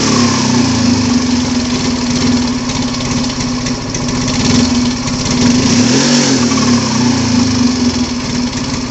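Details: Yamaha Mio Fi 125 scooter that suddenly won't take throttle: steady buzzing, but it stumbles and fails to pick up when the throttle opens; caused by an intake manifold air leak.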